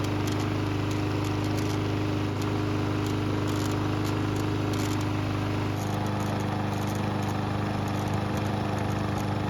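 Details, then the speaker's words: Barn-stored, neglected lawnmower on non-ethanol 89 octane fuel with stabilizer, run several minutes until hot: steady, even drone holding speed without hunting or misfires; healthy after repair. "So it's been running for several minutes and the engine should be good and hot."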